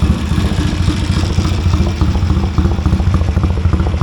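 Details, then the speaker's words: 1970 Triumph T100C twin with straight-through pipe: loud, open, slightly loping idle with crisp evenly spaced pulses, no mechanical clatter; healthy idle. "Well, first gear works. Sounds like another straight through pipe."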